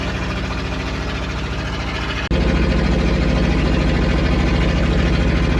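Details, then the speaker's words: 1966 Dodge W200 Power Wagon, first drive after 25+ years unrun, climbing a hill at part throttle: low, lumpy note labouring near three pulses a second without climbing; engine bogging, fuel starvation suspected. "Oh, so close. Running out of fuel there again. Did it again."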